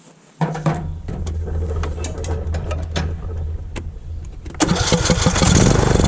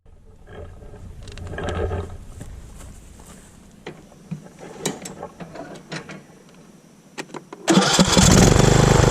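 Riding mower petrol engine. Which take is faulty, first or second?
first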